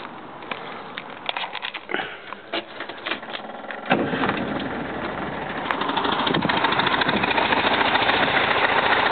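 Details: 1971 VW Type 3 Fastback flat-four, just static timed with the vacuum advance fixed: lumpy, uneven, stumbling idle that seems to run on two cylinders; pulling plug wires 1 or 3 changes nothing, 2 or 4 kills it; cause unknown.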